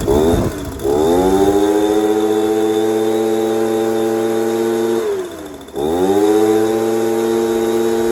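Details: Echo PB230LN handheld blower after a carb kit with new fuel pump diaphragm, fresh fuel and new purge hose, restarted after sitting an hour: fires quickly, holds a steady high buzz, dips once and recovers without bogging. Normal start and run.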